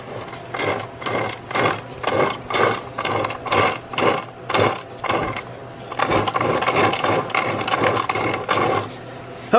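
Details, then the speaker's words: Removed manual transmission whose 5th gear pops out, shaft turned by hand: rough, gritty ratcheting grind rising and falling about once a second, with more play than the quiet replacement unit: worn input shaft bearing. "you can hear it that that input shaft bearing is just done"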